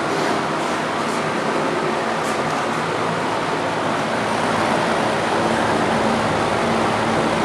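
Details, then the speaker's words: Master Flow 1450 CFM gable-mount attic fan, newly installed, drawing about 1.16 A: steady rushing whoosh of air with a faint hum, even and unbroken, measured around 76 dB; running normally but fairly loud. "here's our decibel rating says that it's save as an alarm clock seventy-six hams excuse me seven bees 76 decibels that's decibel rating"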